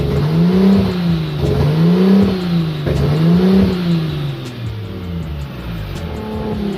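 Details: Nissan RB25 Neo with a high idle problem: idle hunts up and down about every second, tone swelling and dropping steadily; surging suspected from an unmetered vacuum leak, not confirmed.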